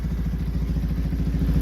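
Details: Yamaha R15 V3 that had an engine noise and a charging problem, fresh Yamaha coolant, top end open: steady, even low thumping idle with light mechanical clatter; running smoothly.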